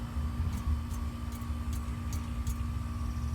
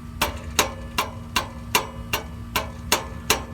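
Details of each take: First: 1998 Chevy Silverado 1500 with a P0420 catalyst efficiency code: dull, solid taps on the exhaust pipe over a low engine hum, with no rattle or buzz, showing this joint is tight. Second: 1998 Chevy Silverado 1500 with P0420 catalyst code: nine sharp metallic taps and a tinny rattle from a loose exhaust joint where the pipe meets the manifold, near the bank 1 sensor 1 O2 sensor; rattle also heard when shifting gears.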